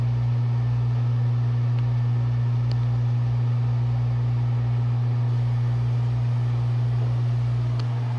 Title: Laundry room exhaust fan rattling noise getting worse